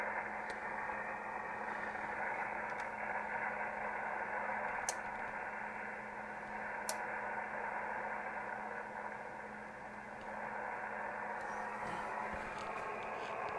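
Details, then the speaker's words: ICOM IC-751A transceiver after PLL adjustment: an 11 MHz RF generator probe near the antenna input gives a hissy, garbled roar with buried hum instead of a clean carrier. Still distorted, so the fault is not in the PLL. "and we're still distorted so it's not a problem with the pol interesting"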